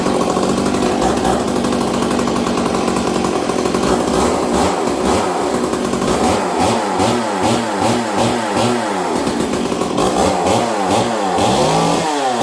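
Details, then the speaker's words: Stihl 038 Magnum chainsaw on fast idle: revs hunt up and down every second instead of holding steady; uneven fast idle, owner suspects choke issue and air filter, not confirmed. "So right there we still have a choke issue, so I might have to really get into this thing and really check this air filter out."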